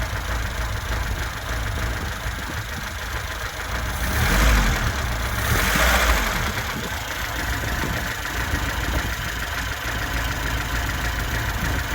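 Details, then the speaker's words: 1979 Lada Niva after new distributor and new spark plugs, not yet warmed up: steady even idle with soft regular beat and a couple of light blips; runs smooth like a sewing machine; slight blue smoke when warm. "It runs like a sewing machine. It's actually very good."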